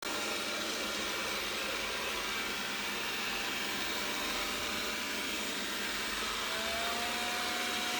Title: Roborock S6 buzzing noise 01.11.2019